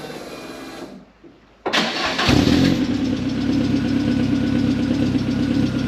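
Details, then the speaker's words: Mk1 Ford Fiesta converted to a 2.0L Zetec, exhaust measured too loud and awaiting an extra silencer; started and idling while recorded by a phone sound meter. A short crank catches with a bark into a deep, booming idle of about 84–88 dB by phone, far louder than stock. "so I'm going to set my phone up now we're going to start the engine up we're going to measure the exhaust and see what it sounds like how loud it is according to my phone I'm going to try and make it less"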